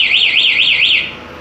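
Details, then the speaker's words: Venom alarm installed on Suzuki Nex 2 injection scooter, locate (bell) button pressed: loud warbling siren sweeping about four times a second for a second, then cutting off; locate function for finding the bike in a parking lot works normally. "lonceng tuh buat nyari apabila motor disimpan di parkiran"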